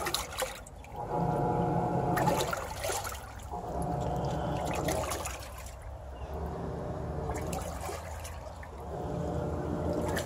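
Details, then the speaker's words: Samsung WA40J3000AW/A2 top-load washer after agitation grinding repair, agitating with a load of water: smooth swishing strokes every couple of seconds, chattering gone; normal agitation. "and that's what it's supposed to sound like when it's agitating all the chattering noise is gone"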